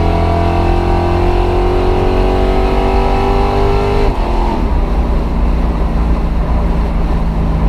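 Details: C4 Corvette rolling test hit: revs climb, then the pitch drops abruptly mid-pull as the bad transmission slips under load; owner says it needs a new one.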